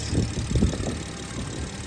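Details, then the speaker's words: BMW 440i Gran Coupe B58, just after installing a Dorch Stage 2.5 high-pressure fuel pump and flashing the tune (MHD): after a long crank, a low idle that is slightly lumpy at first, then settles into an even run; healthy, no leaks. "It was like a long crank, but it started up fine. No leaks."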